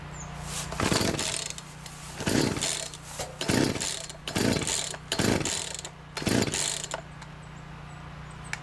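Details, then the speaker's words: Free chainsaw being revived, fresh fuel added, switch on, choke on, primer untested: six pull-cord rasps about a second apart, each dying at once without catching. Cranks but won't start. "sounds like it was trying there for a second nope doesn't want to start so now we got to figure out what's going on"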